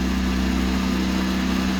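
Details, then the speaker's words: Boat Westerbeke diesel generator after fresh water pump replacement, about half capacity with AC, refrigerator and 200 A at 12 V charging: even steady diesel drone, no knocks or misses; normal running under load. "Generator is running about half capacity. You go up to 12,000. It's good."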